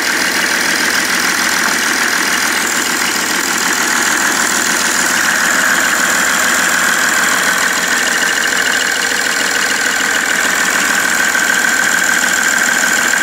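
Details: BMW 330d E91 diesel idling after main and EGR thermostat replacement, now knocking and smoking: quick, uneven knock about three times a second over the clatter; knocking at idle, cause unknown.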